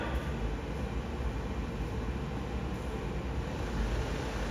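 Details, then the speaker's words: 1985 Ford F250 with 6.9 diesel, heater blower motor energized from the cab on low speed after inspection: low, even whirring rush with a steady tone and no ticking or grinding. Blower motor working fine on low. "So that's low. Low's working fine."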